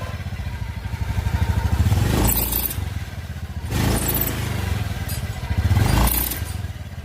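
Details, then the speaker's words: Honda Beat scooter idling with a low putter: a sharp high squeal flares from the rear of the CVT case each time the throttle opens. "jadi saat motor digas itu ada suara nyericit di bagian belakang blok CT"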